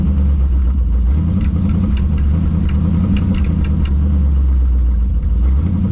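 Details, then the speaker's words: Early-1960s Ford F100 shortbed unibody V8, first run after sitting 25+ years in woods, glasspack exhaust: deep, even idle rumble without misses or knocks; lifters slightly noisy, exhaust leaking, oil pressure over 60 PSI, motor sounds good. "I think it'll clean up sound all right motor sounds good lifters are a little on the noisy side great oil pressure though over 60 PSI"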